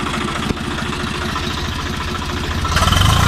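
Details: 855 diesel that had engine noise and black smoke from a broken rocker bolt, replaced with a genuine bolt: steady low chug at idle, then revs briefly near the end; no knocking, normal idle.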